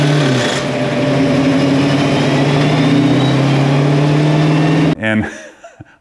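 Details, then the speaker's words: 1966 Ford Mustang Fastback, 347 stroker, T5 transmission, driving: steady engine drone with a light rhythmic clatter about four times a second. Water pump pulley had broken loose and the belt came off; owner first feared a bent pump shaft. "I reached down to grab that water pump pulley and I immediately could tell that that thing had had broken loose there"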